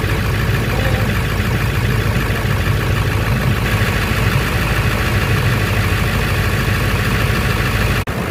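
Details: 1999 Ford F250 4x4 with the 7.3L International diesel, restarted after an oil and filter change (fuel filter changed the day before), checked for leaks: steady, even diesel clatter at idle with no misses or knocks. Healthy idle, no leaks.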